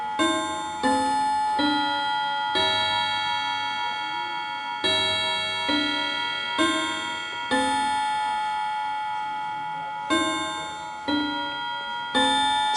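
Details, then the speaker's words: Antique Davison Bros London chiming clock switched from silent back to chime: bell chimes at uneven one to two and a half second gaps, tune sounding wrong as the mechanism catches up; chime out of sequence. "so you notice that it sounds completely wrong and it's not it's just basically trying to catch up with the system"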